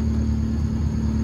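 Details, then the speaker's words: Honda Civic at operating temperature, after idle issue fixed by adjusting the throttle body idle screw (PCV valve also removed): steady idle about 1000 rpm, briefly rising to 1100-1200 with headlights on then settling; no hunting or misses. "i took it for a drive stepped on it um you know the idle stays at a thousand i'm okay with the thousand turn the headlights it jumps up a little bit but then it settles back down to like 1100 1200 you see it right back down"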